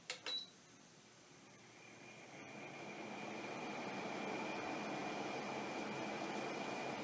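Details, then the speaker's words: Haier window air conditioner after repair, cover back on: smooth, steady airy hum, the hitting noise from the fan rubbing the styrofoam housing gone after restoring clearance. "pretty smooth we've gotten rid of that nasty hitting sound now it shouldn't keep us up at night"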